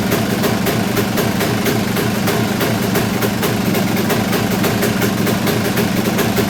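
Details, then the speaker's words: Kawasaki KX250 two-stroke, just reassembled and no longer bogging, still needing carb tuning: lumpy, popping idle about four to five pops a second, not clean; owner guesses it is running rich. "I mean to me that doesn't sound quite right the way it's it's not really knocking or anything like that it just kind of it's hard to say"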